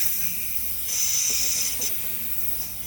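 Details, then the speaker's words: 2018 Audi A8L, compressor disconnected, valve block replacement: red driver's-side air suspension line opened, sharp steady high hiss for about three seconds, less air than black line; line venting. "Not as much as black. But he does have air."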